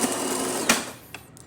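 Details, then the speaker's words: DeLonghi Magnifica espresso machine after grinder replacement, deep clean and adjustment, brewing one shot: steady, even buzzing grind for under a second, then cuts off cleanly; grinder working normally. "So starting with one shot of espresso, we're going to test it out. As you can hear, grinder is definitely grinding."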